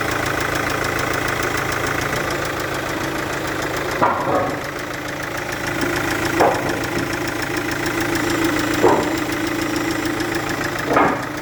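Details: Chevrolet Captiva VCDi diesel at idle with a compression leak at an injector seal; sharp chuffing tick each cycle with periodic puffing surges.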